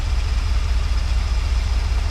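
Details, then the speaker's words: Early-1980s (81–82) Dodge 1-ton truck, sat about two years, after resealing a leaking line, two or three gallons of fresh fuel in: deep low burble with smooth even loping pulse, no misses or knocks; normal idle. "seems to be running pretty good I only put two or three gallons of fuel in it"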